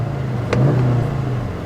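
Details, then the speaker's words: Turbocharged four-cylinder auction car with rear-end damage and good oil, revved after running through the gears with no grinds or pop-outs; it picks up cleanly and holds a smooth, steady hum with no knocks, misses or rattles, so the engine is healthy. "that engine is perfect so this car did pass the test"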